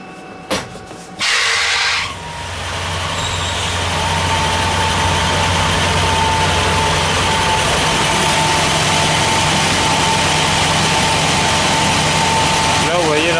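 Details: Air handling unit with a high-pitched noise at the supply vents and misaligned motor and fan pulleys. After start-up, a steady fan rumble with a thin constant squeal: only one of two belts fitted, slack and slipping.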